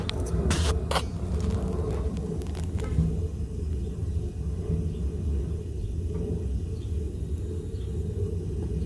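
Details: Gas water heater relit from pilot, knob switched from pilot to on: a few clicks, then a steady soft low roar with no popping or flutter; main burner lit and burning evenly.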